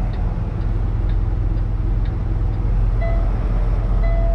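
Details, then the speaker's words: Diesel truck idling with a sharp dash beep repeating about once a second: coolant level warning from the coolant reservoir. Level is fine; reportedly not a sensor fault but a reservoir problem, and the garage has ordered parts. "Le bip que vous entendez, je sais que c'est très énervant, je suis désolé. C'est le réservoir de liquide de refroidissement. Le niveau est bon."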